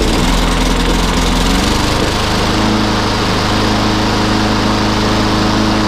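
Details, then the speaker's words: Free lawnmower that previously started on petrol in the carb but soon stopped, first start on choke after a carburettor clean: rough for about a second, then a steady, even buzz at constant speed. Normal running, fixed. "didn't like frothing back up, but uh that has been running for a while. Good show. She's a runner."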